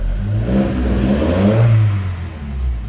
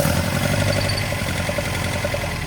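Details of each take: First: 1979 Datsun 620 after oil-filter loss and alternator trouble: throttle blipped up and down, smooth even pull on all four cylinders with no knocks or misses; charge light on initially, later went out. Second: 1979 Datsun 620 idling after a long trip: uneven, lumpy beat with a hitch in the rhythm, running on three of four cylinders; idle too low to charge.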